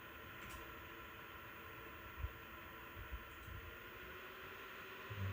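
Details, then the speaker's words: PowerColor Reaper RX 9070 XT graphics card, fans at 60% (1851 RPM), phone about 5 feet away: thin steady whine from the fan motors themselves, not coil whine, riding over the airflow whoosh and holding pitch at mid speed. "Okay, it's 1851 RPM. And that's 60%. You can definitely hear the whine in the background there."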